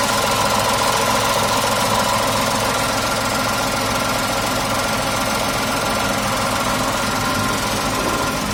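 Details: 2019 Tata Tiago XZ petrol: steady, even idle hum with a faint constant whine on top and no knocks or misses; engine idling normally.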